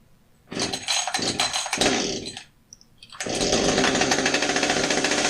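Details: Husqvarna 555 chainsaw after a chain brake band replacement, fired up to check the brake and oiling: a few sharp pull-start bursts, then a steady, even buzzing idle with a clean rhythm; the saw runs fine.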